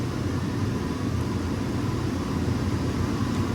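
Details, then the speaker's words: Raypak boiler during a quarterly preventive-maintenance check, just after the gas valve opens and the burner ignites, running up to max temperature. A steady, even low roar with no pops, flutter or surging. The burner is lit and firing smoothly, ignition status burn. "There's the burner. Now it's going to run up to max temperature."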